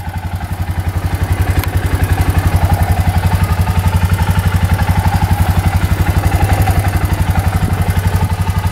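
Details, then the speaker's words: Suzuki Eiger 4x4 ATV, bought beat up and fixed: starts right up, quick, even thumping idle at about four beats a second, no misses, knocks or smoke; normal, healthy idle after repair. "It starts right up, no issues at all. Lights all work."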